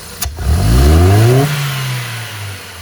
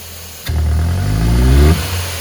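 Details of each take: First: Ford Fiesta Zetec Rocam after repair for power loss and popping: quick hard blip test climbs smoothly and falls back to idle with no pops or stumbles; revs round and clean, healthy. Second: Ford (Fiesta, Ka, EcoSport, Courier or Focus) losing power, backfiring and using lots of fuel, revved hard: revs climb slowly and unevenly then drop, slow to build and sometimes popping; hesitant revving.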